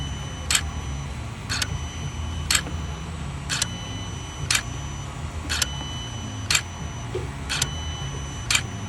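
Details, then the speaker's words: 2016 Hyundai Sonata 2.4 L with P200A intake manifold runner performance bank 1 code, motor actuated via scan tool: sharp squeaks about once a second over a quiet hum; binding intake runner control motor, should only click quietly, motor replacement expected. "alright so you can actually hear it squeaking a good bit um that's not what it's supposed to sound like it's supposed to be pretty quiet you can just hear it clicking"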